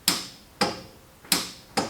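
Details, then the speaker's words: 1960 Ford F100 long stored, with a battery from a truck that had also been sitting: four sharp single clicks about half a second apart with no cranking. The battery is too weak to turn the starter. "Does this battery have literally any voltage in it? Ooh, it has click amount of volts in it."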